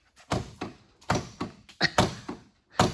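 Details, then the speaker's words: 1978 Mercedes 450 SEL outer door handle pulled and snapping back with hollow thunks, car unlocked but latch not releasing on all four doors; internal slider slid out to its end, fixed by adjusting the handles. "there seems to be a malfunction yeah on all four doors of the car and yes it's unlocked you can't get in the car"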